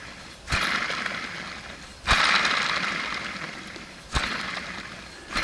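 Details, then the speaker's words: Factory original alternator from a 2011 Super Air Nautique wakeboard boat, spun by hand with the serpentine belt off: a gritty rattle like gravel rolling inside, fading as it slows; worn bearings, alternator being replaced. "if it sounds like a bunch of gravel rolling around inside there you know those bearings are shot and that's what we have today"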